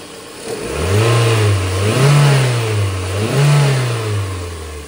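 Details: Petrol car engine with a stalling, low power and backfire complaint revs smoothly twice and settles back each time, no stumble or misfire.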